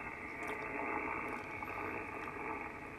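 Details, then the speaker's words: HF radio receiver on 10 meters, noise blanker off: a rough hissing buzz that swells and fades as humidity lets a nearby power line begin arcing, usually from loose hardware, dirty insulators or a blown lightning arrester. "we're probably at that point in the day where it's just beginning to be able to arc over because that's what you're hearing are arcs usually it's loose hardware dirty insulators or occasionally uh blown or lightning a blown lightning arrester that causes us a noise"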